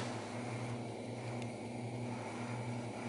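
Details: Xerox Alto's Diablo cartridge disk drive spinning during bring-up tests: a quiet constant hum with a faint airy rush. There is no scraping or ticking, and the disk spins smoothly and normally.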